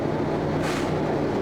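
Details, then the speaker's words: Class-A truck diesel held at fast idle to build air pressure during a pre-trip inspection; governor cuts out at about 130 psi with a short sharp air hiss; normal governor cut-out. "шипение воздуха. Губернатор плюётся, это на пределе возможностей, а сейчас около 130."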